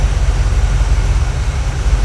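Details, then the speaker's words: 1980 Camaro 2nd gen, freshly built Chevy 5.7 (350) small-block V8, first run-in after idle raised: deep, even burble at steady idle, no knocks or stumbles. Normal idle, 50 psi oil pressure, temperature rising. "give it a little bit more idle and voila it runs so we're gonna break this thing in I'm gonna let it run for a bit"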